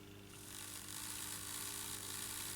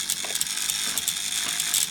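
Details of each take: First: Airfix GWR 14xx 0-4-2 tank model locomotive after rebuild, lubrication and a replacement chassis (faulty diecast chassis had grinding gears), powered at 4-5 volts: light, steady high whir, gears turning smoothly without catching; works. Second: Airfix 0-4-2 tank locomotive (R216), sold as a non-runner: the motor turns but there is no movement, only a high, dry ratcheting gear grind; the diecast chassis proved to be the cause and was replaced.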